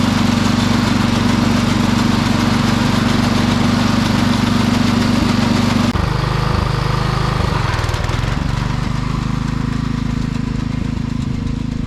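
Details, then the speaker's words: Sears Suburban 12 lawn tractor with a Tecumseh 12hp engine on a test drive: steady single-cylinder drone that falters and stumbles as revs change, spitting and sputtering at higher rpm. Owner suspects the fuel pump needs rebuilding; a fuel line also leaks slightly. "well it didn't run too bad it was spitting and sputtering a little bit at the higher RPM so I'm thinking this fuel pump needs to be rebuilt"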